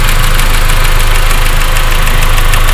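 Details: 1.8T cold start idle: fast, even ticking over low engine rumble, quieter after a few minutes and gone once warm; cause not pinned down.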